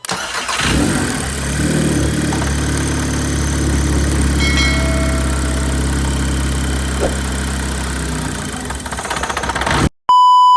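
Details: 2006 Audi A3 that stalled at start-up from a vacuum leak traced with a smoke tester to a failed blow-off valve spring, after repair with JB Weld; cranks, catches quickly and holds a steady, even idle with no stumble; normal start and idle.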